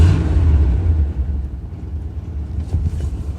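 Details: 1988 Chevrolet Suburban 2500 V8, first start with a new battery after six years in storage: a loud, raw, unmuffled rumble settling into a lumpy idle, with exhaust blowing from a broken header and a strong fuel smell.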